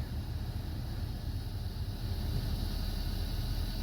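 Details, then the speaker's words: 2016 Hyundai Sonata Hybrid after cabin air filter replacement, engine running, AC at max: steady even airflow rush over low engine hum, no flapping, ticking or whistling; blower healthy. "There's no weird noises, so I don't have any kind of like card in the bike spoke noises or like a floppy leaf noise in there and stuff like that."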